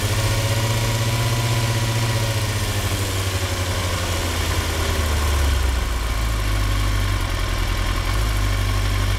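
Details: 2003 Yamaha R6, 35,000 miles, Yoshimura exhaust, idle set 1350 rpm: lumpy loping idle like a V-twin, worst at 2-3k rpm with random rpm jumps; misfire fixed, cause was the ignition coils.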